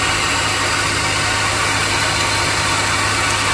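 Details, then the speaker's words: 2002 Chevy Silverado Vortec V8 gas engine idling hot: harsh gritty grinding over low hum, occurring when engine is hot; cause unknown. "this is the sound of my engine as you hear there was a grinding noise when it's very hard the engine has a grinding noise i don't know why but it happened"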